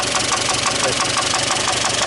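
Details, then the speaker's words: Mitsubishi Galant: sharp metallic clunks about six per second over a rough idle, and the engine dies instantly when shut off; suspected bottom-end knock from a loose bearing. "is a bad sound ... that sounded really really bad its got that clunk to it so basically when you had that metal on the bearing it starts making those noises"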